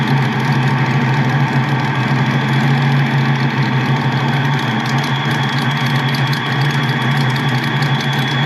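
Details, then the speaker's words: Ford Mustang Foxbody with its original mass airflow meter setup reinstalled: a steady, even low idle that holds a constant beat with no hunting, missing or ticking, even after the idle is turned down further. Normal idle. "thing's like idling perfect. I'm even gonna crank it down just a little bit more. Unreal."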